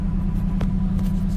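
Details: Gen 7 Toyota Celica after a new Denso OEM fuel pump and filter, with the fuel trims possibly relearning: a low, even rumble with a steady pulse and no misses, surges or stumbles, a normal idle and the best in a while.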